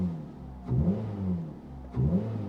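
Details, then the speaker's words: 2004 Suzuki Ignis Sport 1.5 petrol, 72,342 miles, aftermarket exhaust and induction kit: two quick throttle blips, revs rise and fall cleanly with a deep intake roar; engine sounds healthy, normal rev with induction noise. "you got to love a bit of induction noise it just makes it sound that much meater than a 1.5"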